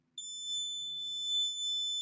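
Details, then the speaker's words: Lenovo Legion Pro 5 laptop motherboard (won't power on, beeps): a multimeter gives a steady continuity beep because the 5 V coil next to the USB reads 0 ohms, a short to ground. "Zero ohms. Check on the screen. 0 ohms. So the 5 vol coil has zero ohms."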